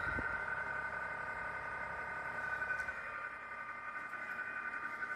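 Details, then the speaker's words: Fujitsu mini split outdoor condensing unit: steady high-pitched singing tone over the fan's hum; condenser fan motor bearing squeal, motor to be replaced. "got a little little sing a little high pitch tour right so we're going let's take care of this place this motor"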